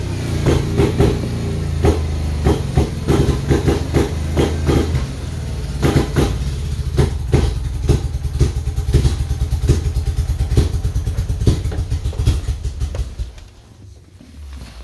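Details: '93 Mazda RX-7 rotary: rapid cranking pulses with puffing bursts for about 13 seconds, never catching, then fading; it cranks but won't start.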